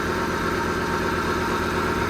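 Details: Heavy plant diesel, from a job involving 420 loading shovels, restarted after the filter housing was pulled, checked and refitted to trace a leak: even, steady idle with a smooth low rumble and no knocks or misses. Not leaking now.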